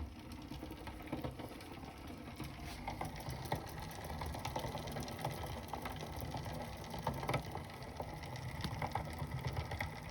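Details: Bicycle on an Elite Suito trainer, cassette changed from the original 11-speed to a 10-speed: quiet pedalling whir with light rhythmic clicks from the crank/cassette area, source unidentified; no noise when ridden normally.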